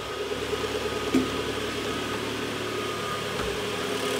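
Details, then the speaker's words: Mitsubishi Outlander 4B11, 2014, 196,000 km, after resleeving scored cylinders to standard size to cure a cold knock: smooth, even idle with steady hum and no knocking or tapping; normal idle. "тишина красота работает прямо как как надо"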